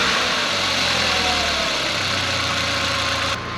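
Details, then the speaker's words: Audi TT Mk1 8N (S3 8L) idling right after fitting catch can, larger intake tip and Pro Ram induction kit: smooth settled idle, steady low hum, slight intake hiss, no misses or rattles; no warning lights, normal idle. "So it started all right, no warning lights or anything yet, so this has got to be a good sign."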